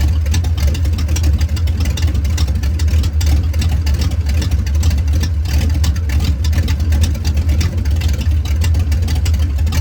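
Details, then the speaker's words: 1989 Ford Mustang GT V8 with catalytic converters removed, shorty headers into about 2-foot pipes: loud, deep, steady idle burble with raw unmuffled edge, open exhaust. "So this is what it sounds like when it's got open pipes on it."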